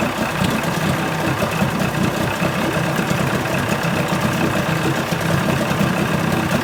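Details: 1980 Chrysler 45 hp two-stroke outboard at fast idle with the prop in water after the crank-no-start complaint: a steady, even burble with no knocks, misses or surging; responsive, nothing found wrong.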